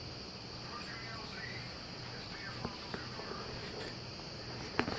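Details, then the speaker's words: Wheelock WMT 24 (117 candela, slow flash) and System Sensor MASS12LO strobes running: thin very high whine climbs after each flash and holds until the next, the charging capacitor squealing; the left strobe's squeal is quite loud and annoying. "yeah you can tell you can hear the capacitor right there but it is quite loud"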